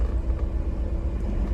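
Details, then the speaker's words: BMW E36, cold start after two days sitting, which sputters and goes into limp mode once warm: uneven, lumpy idle, rougher than usual; owner plans to check plugs, coil packs, wires. "just a cold start it's actually I don't know a little bit rougher than usual"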